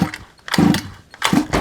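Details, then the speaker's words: Rebuilt ROVAN Q-Shorty petrol RC car, primed and choked, first start-up attempt: two sharp pull-start strokes, each a firm chuffing burst with strong resistance. Good compression, though it doesn't fire yet. "Oh, it's definitely got compressed."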